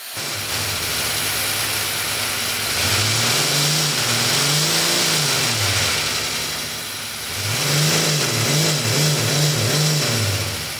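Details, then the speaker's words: 3D-printed overhead-cam air engine copied from an aircraft engine leaks air everywhere: loud constant hiss over low chuffing that swells and drops but only reaches about 2,000 rpm at 4 bar, an inefficient, low-power result. "however this engine was not very efficient or powerful to say the least because it leaked everywhere it also R to around 2,000 RPMs at Four Bars which is an awful performance"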